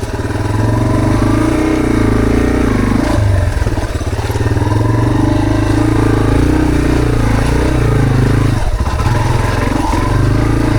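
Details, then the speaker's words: Trail dirt bike riding on wet, muddy trails with ongoing maintenance issues: RPMs climb and drop and won't stay steady, with a few sharp pops; backfiring getting much worse; cause unconfirmed. "hear the RPMs up and down, up and down. It won't stay steady."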